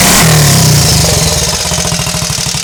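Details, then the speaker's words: Triumph Scrambles Cub replica single, warm after a cold kick start with a recently fitted silencer: a sharp rev, then a steady, even popping burble from the silencer on the overrun; clean and healthy. "also just noticed this time when I've been filming it it's got a nice verbal on your over and I haven't noticed before"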